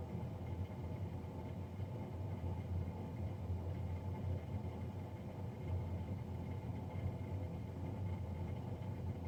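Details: Navien NCB-240 boiler, serviced Jan 31 2020 and recorded Feb 3 2020: loud, steady low roar with a constant hum and no knocking or rhythm, the combustion fan running noisier than it should.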